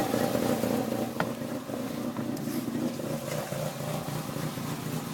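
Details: Peugeot 306 phase 3 1.6 NFZ has had a rough, lopey idle since a head gasket replacement, beating about 3.5 times a second like a cammed engine; no vacuum leaks found, owner suspects the timing belt is a notch or two off.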